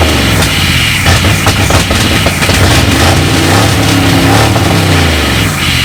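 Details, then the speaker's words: V8 Mercury Comet sat 31 years, radiator filled and good oil pressure verified: loud, rough V8 burble running on its own, picking up cleanly on throttle blips; runs fine after long storage. "way up hey this thing runs cool shoot yeah good flip an obnoxious alright"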